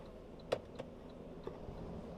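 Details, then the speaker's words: Saab 3-wire to 2-wire trailer lighting converter built from salvaged automotive relays; a few crisp, light clicks over a quiet hum as relays switch with the blinker while brakes are on, normal operation. "if we go in here you can hear the relays clicking back and forth letting it go like that"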